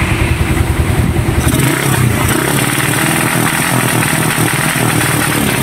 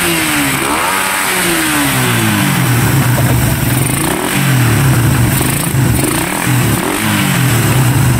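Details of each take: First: Raider 150 motorcycle after engine refresh: revs climb then stutter and cut out in choppy bursts, rapid backfire, no pull; CDI had been converted to a Wave 125 4-pin unit, and replacing the CDI did not cure it. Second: Raider 150 motorcycle after repair: revs rise and fall cleanly in repeated blips without stuttering. The earlier rapid backfire and RPM cutting out were caused by a faulty CDI; it sounds healthy now.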